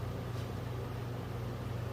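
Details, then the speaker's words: Original generator from a 1963 Ford Fairlane 260 V8, motored on battery: only a faint low hum, turning far too slowly instead of a drill-like spin-up; owner suspects brushes or armature. "let's just see if it moves oh yeah it moves but barely she's not moving very fast at all the other videos i was watching they're spinning up pretty good almost sounding like a drill when they're turning this old girl barely moving at all"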